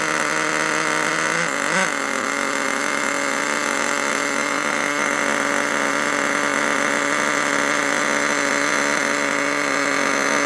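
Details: HotBodies 3.5 nitro engine newly fitted in an HPI Savage 21 RC truck, just started: constant high-pitched buzz that never drops back, idle set too high and noisy; owner turns the idle screw down.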